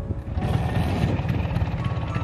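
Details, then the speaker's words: Vespa Spartan P200XE 1985, 200 cc single-cylinder two-stroke on Pertamax, running: coarse uneven low thrumming with a shaky buzz, mirrors shaking, as if something loose; excessive vibration, arising mainly at mid rpm. "Terus kekurangan lainnya, ini Vespa getarannya luar biasa."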